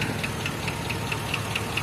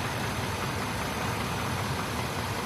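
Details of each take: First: GMC Copart rebuild after 12k miles at idle: light sharp tick about five per second, steady, from one side of the engine; owner suspects a bad lifter or low oil; ticking at idle. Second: GMC XUV from Copart, 12k miles after rebuild, earlier bad-lifter tick possibly from low oil, cold weather: a steady, even V8 idle with low rumble and no top-end tapping; lifter tick gone for now.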